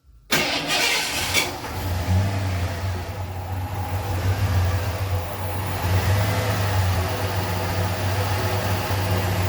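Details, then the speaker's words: 1988 Ford F-150 fuel-injected V8, just after the distributor was turned to set ignition timing and the bypass connector refitted, catches after a short crank and settles to a steady idle with smooth throttle blips; normal start and rev. "That's not bad for one of these dookie fuel injected things."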